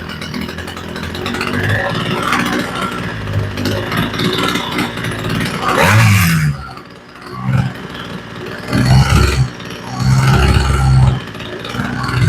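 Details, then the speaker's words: Homelite string trimmer with a replacement carburetor, low-speed mixture adjusted: small two-stroke burbles at a low steady idle without stalling or surging; idle sounds right, though low side possibly a touch rich. "Okay, the idle sounds like it's in a good place."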